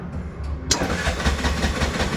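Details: Bajaj auto rickshaw (BS6 2024) with self-start relay problem, starting after bad ground wire bypassed directly to body: short pause, engine catches cleanly into steady even idle; normal start.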